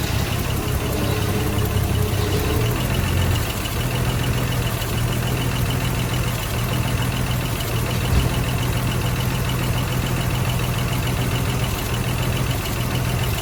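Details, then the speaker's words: Machine pulled out, turned around and left to idle: ran perfect at first, then the low idle wavers and stumbles, especially early on, in a "pa-poo" stutter. "It was running and idling perfect that first little bit, doing a stupid stutter."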